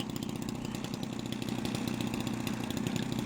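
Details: Petrol engine on a 79-inch Edge 540 model plane, garden ground test after refit: fast, crisp, even firing at steady speed with no misses or knocks; running cleanly.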